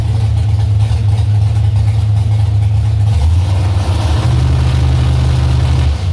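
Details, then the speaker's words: Carbureted engine after idle mixture adjustments, warm: revs steadily, then stumbles or misses around 3,000 rpm before picking up. Bogs when put in gear; old spark plugs suspected, unconfirmed. "bogging is bad when it could put in gear but right at around three grand it's like a stumble or a miss or something kind of weird there"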